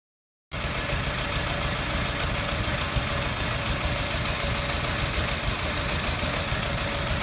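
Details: Petrol engine idling with a rough, uneven beat and faint ticking; code P0302 cylinder 2 misfire, traced to lifters that have come out of their guide.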